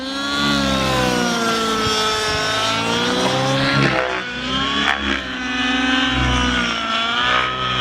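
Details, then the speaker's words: OS 105HZ-R glow engine in an RC helicopter during run-in tuning, after adjusting mid-range mixture; clean, steady buzzing tone that swells with throttle, more responsive, still slightly rich. "notice the machine is more sprightly straight off and he's got a cleaner sort of sound"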